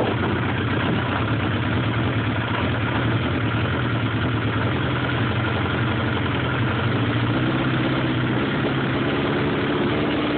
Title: Rough idle